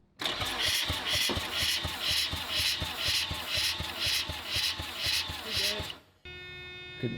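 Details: Mazda RX-7 10th Anniversary rotary cranking on a compression tester, front rotor, throttle wide open, trailing plugs out; even, strong pulses at a steady pace with no weak or missing beat, a good compression result.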